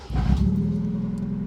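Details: Mazda Miata starting after 9 months off the road, once repairs were done: brief crank, then it catches at once and settles into a smooth, steady idle without stumbling; a healthy start.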